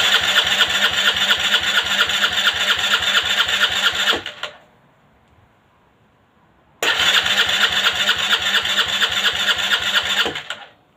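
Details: Aprilia Leonardo 125 scooter after a long time without starting: two long bursts of steady, rapid starter cranking, about four seconds each, engine never catches; cranks but won't start.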